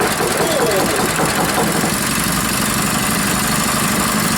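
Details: Rebuilt Powerfist small petrol engine, first start after reassembly on a cold day, gas and choke on, unknown idle setting; catches and settles into even, steady run with no knocking or stumbling.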